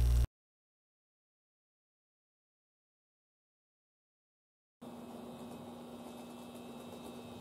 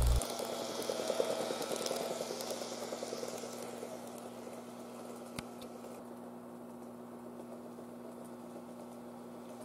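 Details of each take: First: N-gauge model train power car after replacing the motor, cleaning the worm gear, then replacing all geared bogie parts: soft steady motor hum with no knocking; the popping noise is gone, so the bogie was the fix. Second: N-gauge model train power car making strange noise while running: a small motor hums under fast, uneven rattling chatter.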